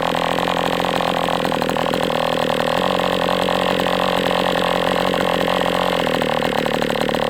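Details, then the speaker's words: MDS 68 FS Pro glow engine during break-in at operating temperature, still tight: steady high buzz throughout, even and clean with no sag, misses or lean screaming; running well, better than with the idle bar plug. "So, I mean, right now I'm not unhappy with this engine. It is what it is, but it seems like it's doing well now. Better than with that idle bar plug, that's for sure."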